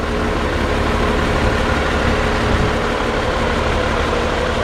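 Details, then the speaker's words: 1961 Ford Falcon inline six after setting points, timing, plug gaps, valve lash at 0.018 in cold and rebuilding the leaking carburetor: steady, even idle, low rumble, no rocker noise or misses; purrs smoothly, normal idle. "it it just just purrs like a kitten I mean it just runs very smooth now"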